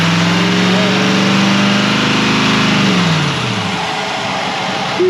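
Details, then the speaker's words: 2020 Chevrolet Silverado 3500 L5P 6.6 L Duramax turbo diesel with a Banks intake and turbo pipes, revved to about 3,000 rpm and released fast: a rising turbo whistle rides on the roar, then falls away smoothly; healthy turbo spool. "fast I hear turbo noises that's awesome"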